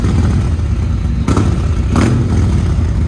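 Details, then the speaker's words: 2018 Harley-Davidson Road Glide Special (Copart salvage), running: deep, loud lumpy rumble with a couple of throttle blips; exhaust very loud but engine runs strong, owner digging it. "that thing is loud i'm digging it"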